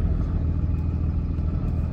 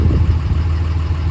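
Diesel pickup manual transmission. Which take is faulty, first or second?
first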